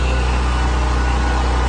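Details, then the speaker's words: NPS 5500 inverter generator running two 15,000 BTU RV air conditioners, mic at front: loud deep even drone with some exhaust noise and cooling-fan noise from the bottom, louder than the Onan; steady speed, no surging or knocking, normal. "Getting a little bit of exhaust noise, but you can also hear that cooling noise coming from the bottom here. So that cooling fan to me makes a little more noise than the Onan does."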